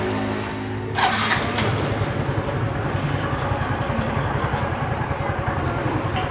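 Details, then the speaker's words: Yamaha Mio M3 125 after new piston fitted (previously run out of oil, knocking from worn bore): engine catches and settles into even idle with smooth throttle blip, no knocking; now normal and more responsive. "sudah hidup kita tarik gas berasa halus ya mas bro kalau kita bandingkan sama kemarin ntar masih berisik sama suara motornya tidak ada suara ketukan yang keras seperti kemarin ya di sini sudah halus dan Alhamdulillah sudah normal lagi"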